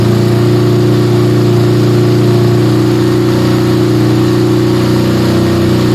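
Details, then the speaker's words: Yamaha Scorpio single-cylinder after tune-up (valve adjustment, carburetor cleaning, new intake manifold, oil change): loud but steady even idle drone, no knocks or ticks, smoother after valve adjustment, air screw about 1.5 turns; normal idle. "Oke, setelah motor langsung nyala guys, setelah dibongkar tadi langsung menyala dan stasioner juga, settingan mudah. Bisa kita lihat di sini suara mesin lebih halus ya setelah kita setel klep tadi, dan juga untuk setelan anginnya kira-kira di 1,5 sama."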